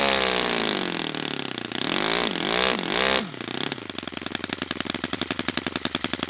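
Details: Brand-new Saito FA-100T twin model engine on test stand during break-in run: high-pitched buzz steadies after a couple of revs up and down, then settles into an even, crisp firing beat; running perfectly, normal.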